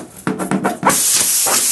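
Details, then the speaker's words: Tubeless motorcycle tire, nail pulled out and hole reamed during plug repair; a few short scraping clunks, then a steady sharp hiss of air escaping through the puncture. "So now I'm going to pull the nail out and you can hear it leaking, and then I use the reamer, which actually is going to make it a little bit bigger."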